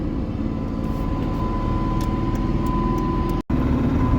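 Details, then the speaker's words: Diesel truck on the road with a steady mid-pitched whine over the drone, heard through the floor, worst in sixth gear and not clutch noise; abnormal transmission noise, gearbox to be pulled, cause not yet found. "I'll drive it I'll let you guys know if anything interesting happens it definitely doesn't sound right"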